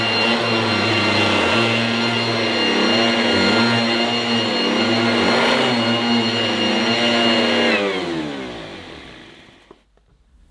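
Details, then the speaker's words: Goblin Roto 1980s mains-powered handheld vacuum cleaner with rotating brush, demonstrated after fitting the inner bag; loud steady motor whine with churning brush hum, winding down after about eight seconds; noisy but fairly effective, running normally. "there you have it that's the goblin Roto quite a noisy but fairly effective handheld cleaner from the 1980s"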